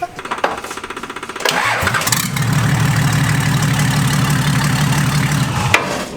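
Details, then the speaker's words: 1998 Nissan Patrol GQ TD42 diesel, cold, brief run with old turbo removed and exhaust manifold open; cranks then loud raw tractor-like chuff; soot in manifold, blue smoke mainly from last three cylinders. "Oh, sounds awesome! Sounds like a tractor. That's so good."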